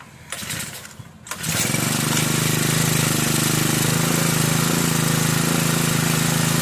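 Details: Brand-new Turbotech SD T35 4S four-stroke brush cutter that would not start, after replacing a shorted ignition coil: starts after a couple of pulls and settles into a steady, even buzzing run without misfire; normal running.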